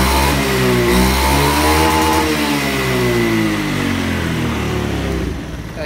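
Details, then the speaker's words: Honda Beat FI scooter with a lack-of-power complaint, after a gear oil change, test ride carrying two people: engine note climbs smoothly with no slip and good top-end pull; normal acceleration. "tapi udah ngangkat tarikan atasnya udah dapet tadi"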